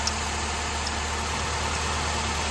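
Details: 2007 Nissan Altima 2.5L idling after oil cooler replacement and oil change, heard from underneath while checking for leaks (previously leaking heavily): steady even low hum, no knocks, ticks or wavering; smooth healthy idle, no leaks seen.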